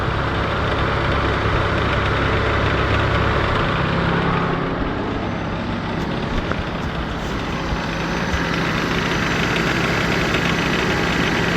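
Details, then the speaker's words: LN3 3800 V6 (1988–91) at idle with AC on, on ramps: quick, uneven clacking at the front of the engine, apparently from a pulley, with extra vibration under AC. Failing harmonic balancer, replaced afterwards. "It sounds like it's coming from one of our pulleys here, and with the AC there's extra vibration and whatnot."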